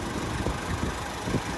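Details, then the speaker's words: Auction pickup truck, hood open, engine bay listening: even, low idle rumble with no knocks, ticks or misses, though a slight vibration felt; normal idle. "All right, it's got a little bit of a vibration in it. But other than that, it sounds good."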